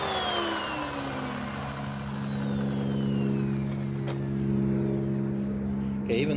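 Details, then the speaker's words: Curb-found Bissell PowerClean upright vacuum, likely 2016 model, first power-on: steady low droning hum with a rough edge, airplane overhead; owner suspects bearings but mostly massive clogs; worn belt and abused filters noted. "there's an airplane flying overhead to me i think i'm hearing some bearings but you know more than that i believe that i'm probably hearing massive clogs"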